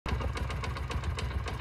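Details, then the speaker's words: Honda CD70 motorcycle engine on a cold morning start: quick, steady dug-dug knock, about eight a second, over the idle, also heard after warm-up; worn cam chain tensioner roller hitting its bolt. "जो engine में जो अक्सर सुबह सुबह का टाम starting करो तो डग डग ड दो आवाज रहता है और य एक डग डग का आवाज जो अभी आपको सुन रहे है ये गर्म होने के बाद य आवाज आता है"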